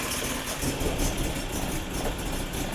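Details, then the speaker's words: BMW E30 M10 engine, misfiring and shaking suddenly after about 5 km of driving, won't rev at any rpm; uneven shaky idle with choppy stumbling exhaust. Misfire. "Jadi ini mobil jalan normal ada sekitar 5 kilo gitu tiba-tiba brebet getar banget. Dari RPM berapa pun digas juga enggak bisa."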